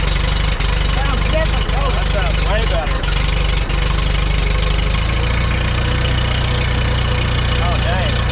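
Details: Allis-Chalmers D17 IV tractor with a replaced manifold idles with a steady, even low thump and no exhaust puffing or ticking after the muffler was tightened; engine sounds healthy.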